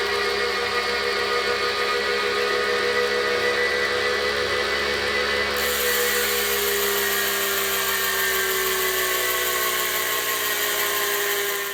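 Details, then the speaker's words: Kinetic R1 direct-drive smart trainer spinning at speed: steady, loud high whirring hum with hiss, louder than other trainers in its price range despite quiet claims; slight vibration at lower speed. "company does claim it is quiet on their website but I wouldn't say this is quiet at all this is louder than other channels in this price range and even the mid-range trainers these days are much quieter"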